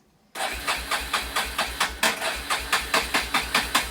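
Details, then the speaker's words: Kodiak engine, cranking: steady starter turning about two and a half turns a second, never catches or fires; cranks but won't start, no gas in the carburetor, owner considers priming the cylinder. "Doesn't sound good. Take it over. Whistle diesel, you think I can't eat her. There's no gas in the carburetor."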